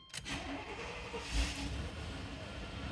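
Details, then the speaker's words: 1994 Chevy K1500 GMT400 after replacing the serpentine belt and tensioner pulley (belt suspected under-tensioned): starter catches quickly, engine settles into a smooth even run with no squeal or chirp; normal healthy start. "all right everything sounds good so I just want to take a look at the belt make sure everything looks like it's running smoothly"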